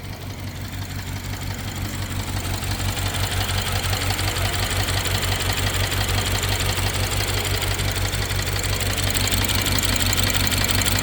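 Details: BMW 750Li N63 petrol V8 at idle, after fuel injectors and high-pressure fuel pump were replaced: fast, even ticking over a slightly uneven, stumbling rumble with a misfire; the owner suspects the timing chain.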